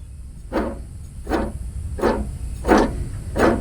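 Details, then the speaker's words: Craftsman ZTL 8000 54-inch zero-turn mower (model 247.25061), deck removed and belt off, pulley spun by hand: rough gritty whirrs; worn idler pulley bearing, replaced. "sounds bad and this one sounds a little noisy but it doesn't feel crunchy or anything"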